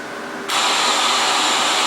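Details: FM transmitter on 92.5 with the carrier turned off: a faint hiss jumps to a loud, steady rush of receiver static because no station is on the air.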